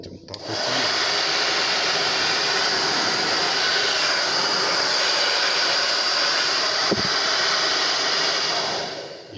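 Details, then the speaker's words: TAIFF 2100 W titanium hair dryer after cleaning and lubricating to cure screeching, heating normally: even steady airflow hiss with smooth motor hum, no squeal or rattle; running normally. "testar Ele chegando a poeira dos trem aqui [Música] Será que tá bagunçado mas parou o barulho"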